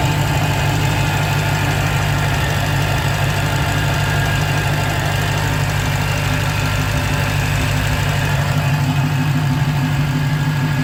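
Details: 2015 Dodge Challenger Hellcat at idle: faint, constant high whine over the engine, sometimes audible from the driver seat; owner suspects an early supercharger bearing going bad, not confirmed.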